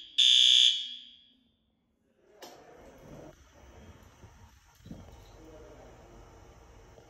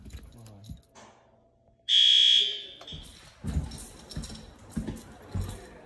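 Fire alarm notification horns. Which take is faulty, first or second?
second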